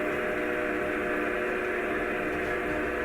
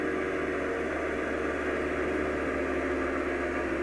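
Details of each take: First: DC backup pump on rainwater filtration system, suction open, discharge isolated, drawing 3–4 amps: steady even motor drone without load build, doesn't sound good; pump starved by clogged suction filter. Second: DC backup pump on rainwater system building pressure, amps rising to about 13: steady even motor hum with rushing drone, no knocks; shuts off near 50 as intended, pressure tank waterlogged.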